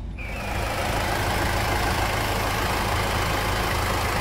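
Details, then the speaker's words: 2003 Toyota Land Cruiser Prado diesel, reviewed for engine leak, started and idling: steady, even diesel idle with smooth low rumble, no knocks or misses; healthy engine. "e esse castanhado do motor Toyota é inigualável é inconfundível quando você escuta ele e você sabe que tem um plano de um motor Toyota diesel"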